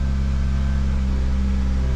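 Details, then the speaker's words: 2009 Ford Fusion 2.3L after cam position and cylinder head temperature sensor repairs, head temperature reading 48°: deep droning idle with an uneven low throb, misfiring and nearly stalling; later traced to a vacuum leak from a faulty intake manifold. "is climbing the heck was that noise look like it's got a misfire oh boy trying to keep it running with the throttle and there we [Music] go"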